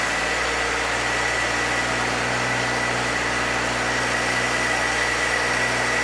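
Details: 1966 Chevrolet C20, rebuilt Chevy 292 six, break-in run: steady, even fast idle around 2,000 rpm to seat rings; no knocks, ticks or rattles, oil pressure held, coolant didn't overheat. Normal running.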